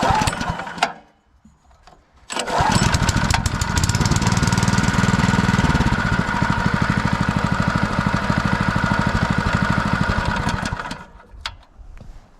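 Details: Sterling Honda-clone 6.5 hp engine on 3-inch trash pump, previously seized, restarted to check the corroded shut-off switch: fires on the first pull, runs steady and even, then shuts off cleanly; healthy, switch works.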